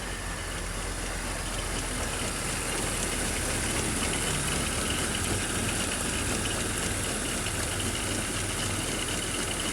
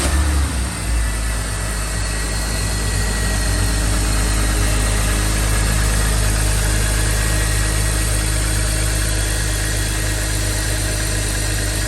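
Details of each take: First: 2005 BMW X3 (M54 engine) at idle: rough chattering rattle and grinding from the front of the engine; serpentine belt tensioner worn and wobbling, heard also via screwdriver on tensioner. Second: Smooth, even low idle on a 2005 BMW X3 (M54 engine) after replacing the serpentine belt, tensioner and AC belt: no squeal, chirp or rattle from the belt side; the engine-bay noise is fixed.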